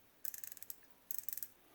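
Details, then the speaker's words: Vintage circa-1978 Zebco Omega 113 reel during service, bent drag clicker tab straightened against the scalloped edge: two quick runs of crisp evenly spaced clicks, about a dozen per second, as drag slips; clicker working. "So we're going to bend that up so that we can hear it when the drag goes out."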